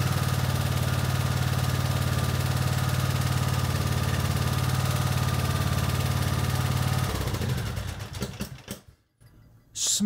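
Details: Briggs & Stratton 17.5 HP mower engine after cleaning the carburetor to cure surging: runs at a steady, even pitch with no rise and fall, then shuts off.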